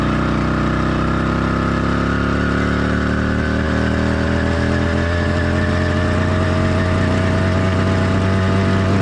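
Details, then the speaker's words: Cheap motorized bike kit two-stroke with single-circuit carburetor on half choke to simulate an excessively rich mix: lumpy, uneven burble with skipped beats, sluggish acceleration, idle wanting to die, excessive vibration; rich-mixture four-stroking. "an excessive Rich running condition has a lot of drawbacks as you can see in the video acceleration was sluggish the motor had poor performance the idle wanted to constantly die and there was excessive vibration"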